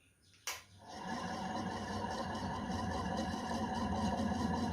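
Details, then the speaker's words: 1970s CG HB 56-inch (1400 mm) 67 W ceiling fan, 265–270 rpm, original windings and capacitor: switch click, then motor spins up without blades, with rough gritty grinding under the hum from worn bearings needing replacement. "noise from the bearings you can hear"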